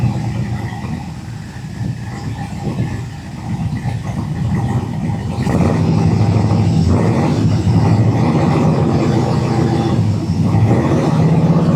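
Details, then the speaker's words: Fuel-injected El Caballero V8 running after a valve-cover oil leak repair, with cardboard underneath to check for drips. Deep, even rumble building slightly as revs rise, steady firing with no knocks or ticks; sounds real good, running normally. "Sounds real good."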